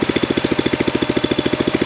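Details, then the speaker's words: Small engine with gummed carburetor pulling too much fuel through the jet: fast, heavy, uneven pulse about twelve beats a second, rough running. "pulling too much fuel up through the tube, through the jet. But whatever, I can get it to idle, and that's enough to slowly push through this gum. Takes a little finesse, but it'll do it."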